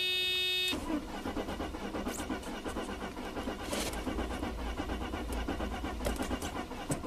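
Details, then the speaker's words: 1995 Mercedes-Benz E320 wagon, 285k miles, intermittent crank-no-start; injectors fire but no spark, weak battery voltage noted: steady starter churning with even compression pulses about three a second, never catches; cause not confirmed. "so it still fires the injectors but not not the spark it's the weirdest thing"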